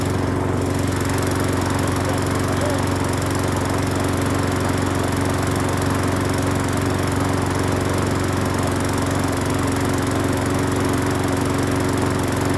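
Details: Free Hyper Tough 20-inch push mower on first start after cleaning the carburetor and gas tank, with fresh gas and off-brand Seafoam motor treatment added. Smooth, steady buzz with no surging or stumbling, not shaking. Normal running.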